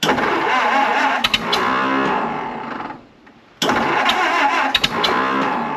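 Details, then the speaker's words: 1929 Ford Model A Doodlebug, about to drive: engine roars flat out, cuts briefly, surges back to full revs; stuck at full throttle after running well before, owner wonders if timing slipped, cause unconfirmed. "wo that's it full throttle no no that's bad"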